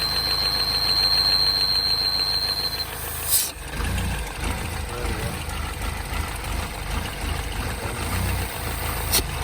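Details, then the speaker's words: R60 Mini Countryman Cooper S, engine light on, revs hunting at start: thin, steady high whine over a slightly uneven idle, first suspected tensioner; vacuum leak through a ripped PCV diaphragm, to be replaced. "and you can see that's all ripped over there and so quite likely is going to be that that's what's causing the noise air is obviously getting in uh from there there's a leak vacuum leak"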